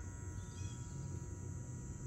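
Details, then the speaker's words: Residential AC outdoor unit with indoor blower working but no cold air and evaporator not iced: low steady buzz with the contactor pulled in on 24 V coil voltage, yet compressor not starting; 120 V supply being checked. "hear the buzzing do you see that this is pulled in so the contactor is activated"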